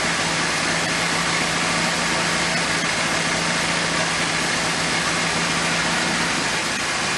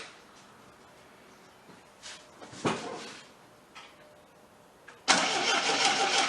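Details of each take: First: Abandoned 1979 Triumph TR7 running again on rebuilt carburetors from a parts car and an electric fuel pump; a steady, even idle with a low hum under plenty of hiss, holding speed smoothly, though the rebuilt alternator gets very hot. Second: 1979 Triumph TR7 with rebuilt carburetors from a parts car, fuel tank gravity-drained then refilled: steady cranking that never fires or catches; fuel pump not picking up fuel from the tank, no fuel reaching the carburetors.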